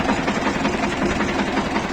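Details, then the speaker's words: Shifeng SF 138-2 single-cylinder diesel at idle, previously knocking, after a roughly 1 mm gasket was placed under the fuel injection pump: quick, even beat with no sharp metallic knock; engine runs smoothly and much softer. "просто подложил и всё двигатель совсем по-другому стал работать и мягче"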